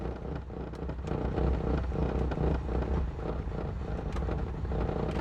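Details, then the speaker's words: Renault 19 GTS Chamade 1.4 Energy, restoration project, no coolant in it: starts on full choke, low uneven rumble steadying and picking up; revs clean, no smoke, runs well. "oh man she revs lovely and clean now I'm very conscious that there is no coolant in this but there's no smoke she sounds great"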